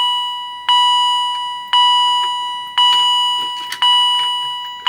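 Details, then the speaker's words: Edwards EST 757-5A-CS Integrity chime strobe, triggered via EST SIGA-278 pull station; chime about once a second with a faint extra quiet ding before full chiming, repeating on each pull; cause unknown. "You heard it did a quiet ding. I don't know if you heard that on camera or not."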